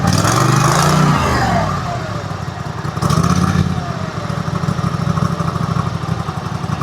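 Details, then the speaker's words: Husqvarna mower at wide-open throttle after the governor, wrongly set after replacement, is readjusted fully clockwise; revs up, drops back, then holds a steady even beat with no surging or hunting; runs normally. "Take my throttle and go wide open with it. We're going to turn the governor all the way clockwise."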